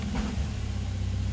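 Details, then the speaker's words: 2006 Nissan Maxima in for cylinder misfire, idling high: dull thump shifting park to drive and reverse, then shaking uneven idle; harsh engagement, slight vacuum leak suspected as cause of high idle. "whole car is shaking when you go into gear back into reverse that was a hard one"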